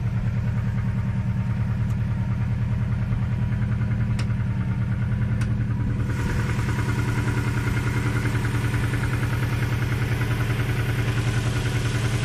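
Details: Steady idle with a light, fairly even knock about three times a second over the low engine rumble; piston slap suspected, cause unconfirmed.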